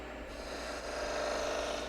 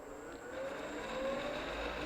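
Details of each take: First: Woodturning skew cutting a V in end grain on the lathe: dry rising rasping squeal as the tool bottoms out in the V with no clearance, so it won't cut and only burns; fix is cutting clearance for the tool. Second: Skew chisel on the lathe cutting at its sweet spot: soft, even hiss and faint whir, no chatter or squeal; nice, quiet clean cut.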